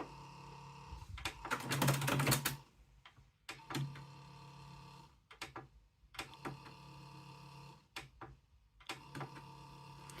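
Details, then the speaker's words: Panasonic RX-ED77 "Cobra" boombox cassette decks: short bursts of small motor whirring with mechanical clicks, no closing clunk; doors open but don't close automatically, owner suspects worn belts in the closing mechanism. "can you hear the motor going so the motor doesn't close the cassette deck I assume it should close them otherwise you wouldn't hear the motor sound"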